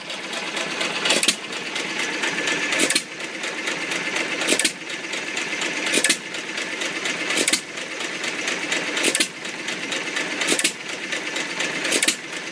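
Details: Old Iron Creamery power plant engine, first run after rebuild: a crisp firing pop about every second and a half with quiet coasting between; steady, normal running.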